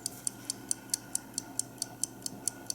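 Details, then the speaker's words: 1950 Buick Roadmaster New Haven dash clock after oiling the balance wheel pivots: crisp, even ticks about four and a half per second with no stumbles; it now closes the contacts and rewinds itself. "the thing that improved the uh movement and the lubrication and the the strength with which it um is running did you just see that"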